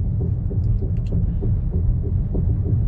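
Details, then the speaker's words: Car with 57,000 km, driven slowly at about 20–30 km/h: regular clunks about three per second over low road rumble, pacing with wheel speed, from a front wheel shifting on loose lug nuts. "anh em nghe kỹ lại lần nữa nè thấy chưa nó kêu dã man luôn"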